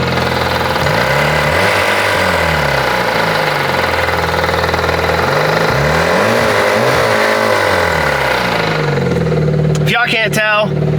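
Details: Jeep, jump-started and left to warm up, idles with an uneven wavering drone and a faint whirring; something is spinning that shouldn't be, and the cause is unknown.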